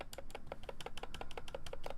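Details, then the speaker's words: BoardSource Mark 65 mechanical keyboard before re-lubing: sharp clacky keystrokes about six a second, with a thin extra tick on the long keys, especially Enter. Points to stabilizers (likely Durock V2) needing lube. "I don't think it is like for this the enter is ticking. This is the biggest problem."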